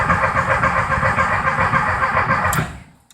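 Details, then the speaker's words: 1973 VW Thing parked since the early 1980s, ancient ignition parts, cracking plug wires: starter turns the engine at an even three to four beats a second without firing; coil gives no spark, carburettor suspected gummed up. "The engine turns over, but the coil, it's not getting any fire out of it, and I'm sure the carburetor's doped up."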